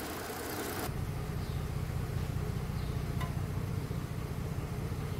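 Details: Mercedes-Benz with codes P0300, P2090, P0353 and unstable engine, after work and clearing codes, warming up: smooth, even low idle, steady beat, no stumble or skip; running normally.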